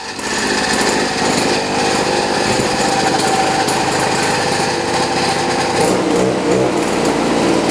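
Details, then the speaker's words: Boreem Tankman scooter, small single-cylinder engine, just started after hard starting; runs rough and uneven with a tinny rattle and stumbling beats at idle, misfiring, though it still drives. "so as you guys can hear it's kind of like rattling you get it's it's kind of misfiring but uh it does"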